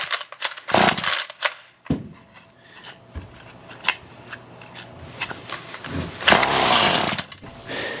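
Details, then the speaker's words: Roadside-found Ryobi weedeater with a dirty, nearly empty tank, before carb cleaning: a few recoil pulls, then a brief high buzz that dies within a second; it starts then stalls right away, likely a fuel problem. "it starts up and then dies right away"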